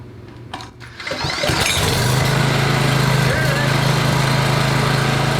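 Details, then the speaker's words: PowerBoss 5500 W generator, Briggs & Stratton 9.5 hp OHV, rebuilt from parts, cleaned plug: catches after a couple of pulls and settles into a steady, even governed drone; runs healthy. "okay she's running good she's running out of gas so i shut it off"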